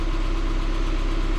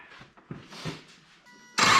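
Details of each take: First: 2006 Subaru Forester after power steering pump O-ring fix, fluid still aerated: steady engine hum with no whine, groan or hitch while turning lock to lock; power steering quiet and smooth. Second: 2006 Subaru Forester at startup after topping up leaking power steering system: loud steady high whine and squeal holding pitch; pump low on fluid, sucking air, major air in the system.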